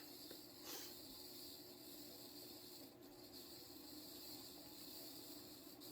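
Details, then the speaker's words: Mid-to-late 1980s 36-inch View Fan industrial-style ceiling fan with stamped-steel motor, spinning up to speed at low setting: steady airy bearing hiss over faint motor hum. "ittle bit for it to get up to speed and you can already hear the bearings hissing that is powerful of course with these things the bearings were definitely very quality even out of the box"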